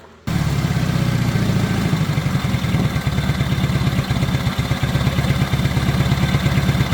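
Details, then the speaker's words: 1970 Honda N600 sedan engine run on a borrowed carburetor and coil with freshly cleaned points, fuel lines moved off the exhaust: fires and settles into an even, slightly busy idle about 1,200 rpm or a bit more, no misses; normal idle. "That went pretty good right there. Probably about 1,200. Maybe a little bit more."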